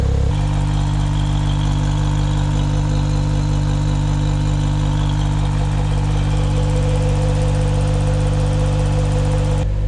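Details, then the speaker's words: Engine just swapped back from a Keisport to an N1 ECU, cold start on a very cold day with condensation smoke, high idle dropping to about 1100: steady even idle with a deeper exhaust note, no misses or knocks. Owner calls it the smoothest yet. "seems all right I think this is the smoothest I've ever heard my engine"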